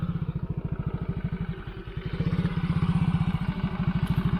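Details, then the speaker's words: Yamaha motorcycle single, cylinder block with a steel Takayama liner replacing the original, after a 6 km test ride: engine smooth but idle rises and falls unevenly, about 2.5 beats a second, unstable; owner suspects the new engine is still tight. "ini yang saya rasain ya mesin masih halus cuman nah naik turun dia kentol jadi ini suaranya langsamnya belum stabil jadi kayaknya masih seret"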